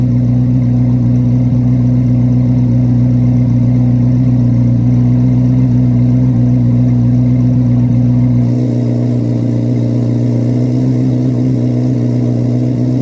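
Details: 2024 Chevrolet Corvette C8 Z06 V8, cold start in garage: deep steady burble at raised cold idle, even and smooth, dropping to a lower settled note near the end; healthy engine.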